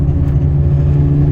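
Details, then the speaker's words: 2005/2006 Saturn Ion front-wheel drive on the road from about 30 mph while slowing: steady low droning hum that keeps the same pitch through gear shifts and rpm changes; worn front wheel bearing/hub assembly. "now we're slowing down you really hear that humming going on there that's a wheel bearing"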